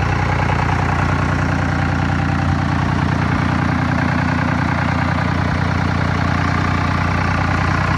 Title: Dodge Cummins 3 Cylinder High Idle